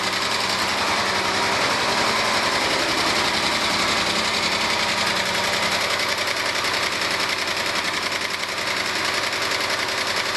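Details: 1997 Argentine Renault Clio engine: steady fast light tapping knock from the bottom end, about three per second; valves already adjusted, one mechanic suspects piston skirt slap needing an engine rebuild, others suggested clogged oil breather or low oil delivery; cause unconfirmed.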